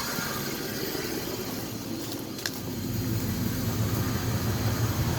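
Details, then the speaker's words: Idling engine, PCM warning showing: brief click, then heavier rough low rumble as the AC compressor engages and cycles on and off; owner suspects a noisy compressor, not overcharged according to a technician. "that noise you hear watch that's the compressor making noise that noise that's the compressor watch when I turn it on"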